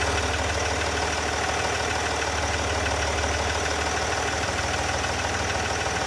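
Diesel idling steadily with a fast, light tick, roughly three per second, following the idle over the normal clatter; source not yet identified.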